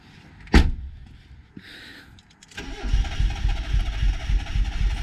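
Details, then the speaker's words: Mitsubishi Lancer GSR 1.8 turbo four-cylinder, first start after fitting new fuel pump (old one suspected, no buzzing heard): sharp starter burst, quiet gap, then engine catches and runs unevenly and quietly; starts after fuel pump replacement. "Oh! What the? It's running, kind of. Sounds quiet."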